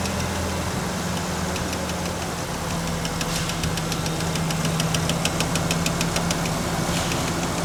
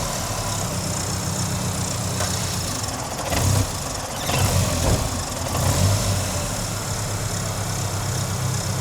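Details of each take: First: 1993 Ford Ranger with intermittent dying, relay shaken while running: steady, even idle with light clicking on top; keeps running with no stumbles or cutouts. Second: 1993 Ford Ranger back from Burning Man: low idle mostly steady but surges and dips intermittently; stumble also while driving, relay or its plug suspected (possibly aftermarket relay), cause not confirmed.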